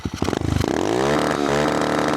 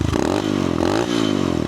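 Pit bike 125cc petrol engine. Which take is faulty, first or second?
first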